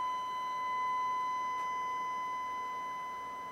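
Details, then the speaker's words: Behringer GMA106 guitar amp, 1 kHz tone at about 100 mV peak to peak, distorting as gain is adjusted: buzzy edged tone; gain pot suspected; low volume traced to signal failing at second stage of L885D input op amp. "You hear how that's distorting that as I adjust the gain? There might be something wrong with the gain pot."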